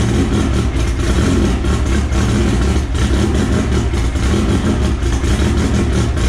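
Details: Engine start and idle of the AWD EG hatch on an M&W Pro Drag 4 ignition, after fixing the missing ECU ground; steady, even low rumble, smooth rhythm, no misses or knocks: normal idle.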